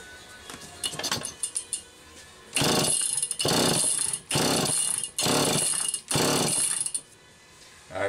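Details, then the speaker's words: Allen's Super EZ chainsaw with Walbro HDC carb, first start attempt with fresh gas: five hard cord pulls, brief rasps, never catches; fuel spurting from the carb, engine flooded, likely from a previous carb job. "Alright, now she's not gonna run. That's way too much fuel. You heard it tried. But I think it's flooded."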